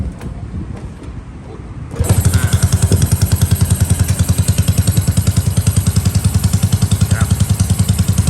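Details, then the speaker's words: Honda Wave 110i upgraded to 53 mm bore with new genuine head, new 6-hole injector, open exhaust, first start after rebuild: fires after a couple of seconds into an even steady idle about 3.5 beats a second, quiet, no knocks; normal. "เครื่องเงียบโอเคเลยนะครับเสียงเครื่องเงียบมา"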